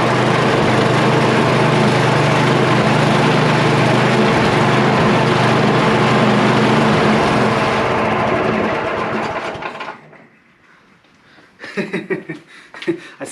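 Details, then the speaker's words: Yard Machine (MTD) snow blower with a Tecumseh 8HP engine, started cold on the first pull outdoors with choke and throttle up, despite a gaping vacuum leak; a loud, steady single-cylinder beat at about 3.5 firings a second, even and strong, then shut off. "it started so strong it started first pull it kicked right"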